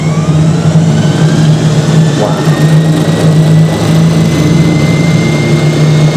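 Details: Hoover Spinarinse 3012A spin dryer from December 1968, test run after drain hose repair with silicone sealant: loud steady low hum at even pitch, no knocking or scraping; spinning smoothly at full speed.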